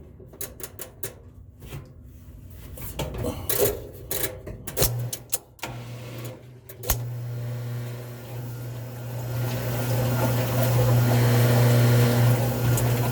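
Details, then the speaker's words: Frigidaire top-load washer that smelled burnt and screeched, spin test after a new belt was fitted. Scattered ticking, then a steady low hum and growing rush as the tub spins up; suspected upper bearing noise, possibly just phone placement. "y'all that's a bearing sound that's the upper bearing"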